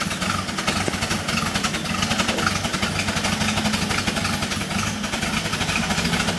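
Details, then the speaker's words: Problem truck engine on a test stand, in its original setup (65 PSI noted): rough, loping, stumbling idle, misfiring. Cause suspected, not confirmed. "I got to get that cut off before I smoke my shop out you can hear it's just terribly confused on what to do"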